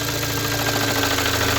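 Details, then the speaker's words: 2017 VW Golf R (MK7) towed in with the low oil pressure light on, at idle: a dull, steady knock that sharpens with the clutch pedal down. The pan was pulled and a piece of a crankshaft thrust washer was found. "We get it in, start it up, and this is what it sounds like. Pretty bad knock. And then you press the clutch in, and it gets worse."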